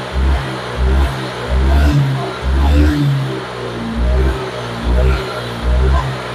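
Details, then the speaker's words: Honda Vario 125 with severe brebet (stuttering) after repair and ECU reset; fuel pump pressure was normal and injector checked. Short, even throttle blips rise and fall cleanly with no stumble, pull responsive again; normal revving. "ini sudah selesai Berarti tarikan motor sudah kembali responsif sekarang kita matikan sa kontaknya"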